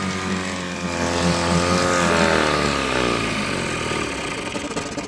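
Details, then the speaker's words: Mercury 7.5 hp two-stroke outboard (1974–84), first start in over a decade at half choke: uneven, wavering, slightly lumpy running; loose stud on plastic intake leaks fuel and sucks air, no water pumping. "well she's a runner it is not pumping water getting no water back there and we're leaking fuel here so I gotta fix that"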